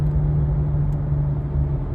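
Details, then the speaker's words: 2018 Subaru Crosstrek coasting off the gas above about 40 mph: steady low hum droning over road rumble; rusted worn rear wheel bearing, diagnosed and replaced. "I'll I'll shut up now so you can listen try to let off the gas and just Coast but it's kind of like a hum"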